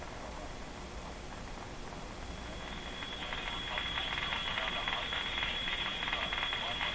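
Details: Canadian Westinghouse Model 512 tube radio after replacing the tone capacitors and lubricating the control: hiss shifts from dull and muffled to bright and crisp as the tone control sweeps, no crackle; tone circuit working properly.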